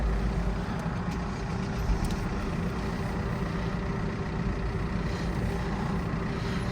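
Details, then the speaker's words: Opel Astra H, Z16XEP engine, mileage stated as 216, which stalled when hot. After the repair and about 20 minutes of running it restarts and idles smoothly with a steady low hum, no stumble or misfire. Normal idle. "Як бачите все заводиться все працює все чудово друзі"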